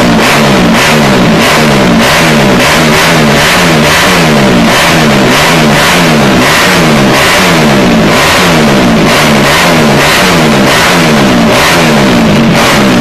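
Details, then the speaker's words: Takegawa Plus-R 4SM 59mm small four-stroke motorcycle engine build: repeated sharp blips to high revs dropping back cleanly, crisp and even with no knocks or rattles; engine revs wildly, strong and healthy. "Όπως ακούτε, το εργαλείο στροφάρει τρελά και παλαβά."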